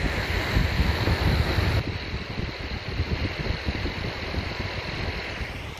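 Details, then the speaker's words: PS3 Slim cooling fan run at 5 volts: rough rushing hiss with an uneven scratchy rumble from a dry, worn bearing, heard apart from the airflow. "Okay, now I'm gonna lower the voltage to 5 volts, and now just take care and try to hear just the sound from the bearing, not from the air."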